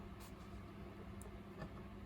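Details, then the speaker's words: GRIPONE KartCross throttle servo correctly calibrated to its 0% position, with the butterflies closed: a quiet, steady, barely perceptible hum with faint clicks. Over-closing the servo strains it and makes an excessive buzz. "sentiamo che il ronzio è sparito Questa è la calibrazione corretta del servomotore"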